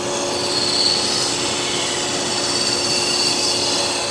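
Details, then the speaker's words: 1992 Dodge Dynasty 3.3 L V6, engine idling: steady high gritty whir with a thin whistle from the engine bay, a worn AC compressor clutch bearing; noise goes away once the AC clutch engages. "think we got some compressor clutch bearings trying to go out"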